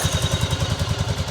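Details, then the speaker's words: 1985 Yamaha Virago 1100 V-twin, laid up 8 years, after carb and fuel repairs, died once: an even idle thump with a light, quick ticking. Valve ticking; the owner believes the valves need adjustment. "so we got some valve ticking obviously need to do an adjustment on the [Music] valve"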